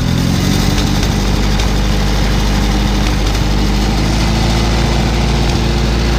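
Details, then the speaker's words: Old hand-clutch tractor, throttle raised to a faster speed: steady even low thrum with no misses, knocks or rattles, runs smoother at speed, whole tractor shakes and battery vibrates; normal running at raised throttle. "run smoother at faster speed oh that sounds good that sounds real good listen to that whole tractor shakes at this speed look at that battery dancing oh this thing runs like a dream"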